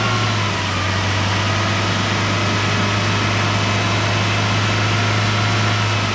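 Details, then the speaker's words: 1973 Chrysler Galant that had sat 26 years, first run on a makeshift fuel feed with the oil light now out: a steady, even low chug at idle with no misses, knocks or hunting. It idles normally. "I put some water in it but she's just chugging away his happiest day look at that"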